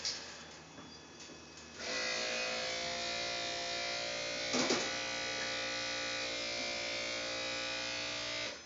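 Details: 2012 Lincoln MKZ hybrid: a steady high buzz for about seven seconds when the brake pedal is pressed or released, most noticeable with the engine off at slow speeds. It is the normal electric brake vacuum pump.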